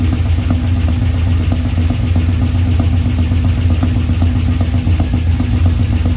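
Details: 1984 Ford F150 with LS swap, first start after months with the underhood harness out: deep lumpy idle with uneven beats and a clattery tick; suspected misfire, and the number 8 spark plug was dirtier with cracked porcelain.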